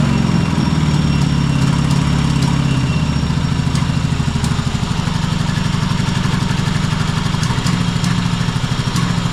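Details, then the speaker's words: Cub Cadet Super LT1554, 27 hp Kohler V-twin, 500+ hours, oil-covered, intermittent spark, first start as acquired: fires right up but lumpy, uneven low thump with an irregular idle beat; owner suspects it is running on one cylinder. "Yeah, sounds pretty rough. Um fired right up though, but I'm pretty sure it's just running on one cylinder."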